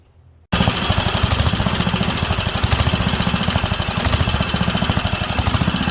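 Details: Wisconsin AENL barn-find engine, first run in 20+ years after carb cleaning: uneven hunting thump rising and sagging; not enough fuel on the high-speed adjustment, running lean.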